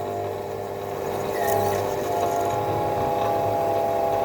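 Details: Optimum T2506 VB lathe turning a polyethylene bushing: steady high-pitched squeal over the spindle hum through a 3 mm cut; the tool is rubbing and running too hot in the plastic.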